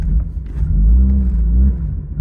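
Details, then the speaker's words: Cold engine of a newly bought drift car blipped under throttle: low rumble swells unevenly and wavers, hesitating; owner suspects a MAF or intake boot air leak, runs and idles poorly cold but fine once warmed up. "So that sounds like an issue with the MAF somewhere in the intake boot. I've had similar issues before. So yeah, it looks like once this car is cold, then it has some issues running and idling."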